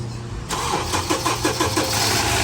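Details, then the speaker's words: Honda CR-V 2.4: short crank, catches right away and settles to a steady, even idle with no misses. It is expected to quieten a little more once the oil comes up. "ติดง่ายเกินซึ่งเลยครับโอ้โหนี่สิขึ้นมานิ่งคลิปเลยครับตัวนี้เดี๋ยวสักพักนึงนะขอน้ำมันขึ้นก็จะเงียบลงอีกนิดนึงครับ"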